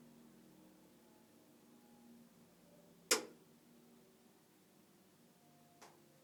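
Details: New Vaillant EcoTec Plus 824 boiler: over a faint steady hum, one sharp loud click and a softer one about three seconds apart; faulty clicking, cause unclear.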